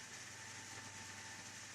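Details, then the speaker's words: AMD FX-8350 stock CPU cooler fan under load, CPU near 68–69°C: a steady airy whoosh with a thin constant whine and a low hum, no rhythm; the fan runs flat out. "e you can hear the noise that this fan makes. It's just awful. It's the worst thing that can happen to you when you're working and you're trying to concentrate on something, and it's like having a server right beside you."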